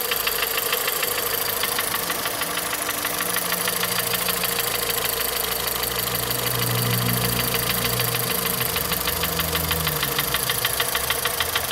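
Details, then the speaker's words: 2014 VW Polo at idle, check-engine light on with misfires stored on cylinders 1 and 4 (coil suspected); sharp, regular ticking knock about three per second over the idle, clearly audible; needs further diagnosis. "agora deu pra ouvir nitidamente faz sim ela tem em marcha lenta"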